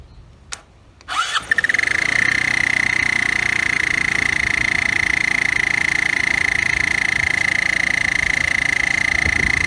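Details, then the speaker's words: Roketa 150cc GY6-style scooter started by bridging the starter solenoid. The engine catches, then a steady high-pitched whistle rides over the fast idle: an intake vacuum leak because the intake boots are missing. "and that whistling noise is because the boats are missing we're not getting a good seal on the intake"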